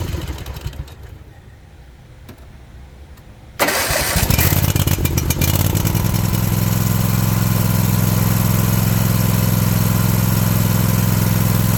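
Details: Toro zero-turn mower with clicking no-crank complaint, new solenoid, starter found locked up and now freed, new air filter: quiet, then engine catches at once and settles into steady, even idle with no stumble; normal start and idle.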